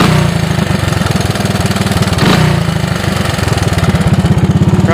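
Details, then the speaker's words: 1985 Honda ATC 200S single-cylinder ATV idling, about 66°F day, runs and shifts well, no smoke, smells slightly rich: faint even tick on each firing pulse from top end; owner suspects it could use a valve adjustment. "Here it is. I got a touch of noise up top"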